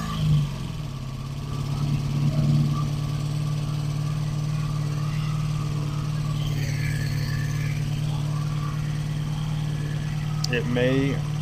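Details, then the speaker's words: 1985 Honda Magna V30 V4 on its first start after a carburetor rebuild, JB-welded gas tank, ignition bypass and radiator install, with the fan unplugged. It idles with a lumpy, uneven beat and faint clatter, sounding far worse than before the work; the cause is unknown. "It sounds way worse than it did the first time I started it before I worked on it."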